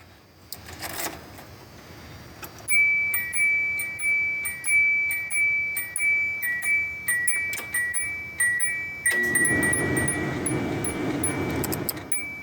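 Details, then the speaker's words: 1991 Subaru Loyale sedan on a battery charger, engine not started (needs rebuild), key in: clean, steady two-tone electronic door chime at about one and a half dings per second in a quiet cabin; door chime working. "But I do want to hear the door chime for the first time in like, well, if that gives you any idea."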